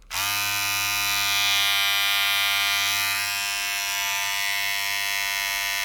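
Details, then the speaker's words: Remington MB-200 hair trimmer, about five years old, after bending and readjusting the part back into place: steady, even electric buzz, not perfectly quiet but about as quiet as when new. "very quiet I mean it's not perfectly quiet but it's quite it's just like the day when it was new"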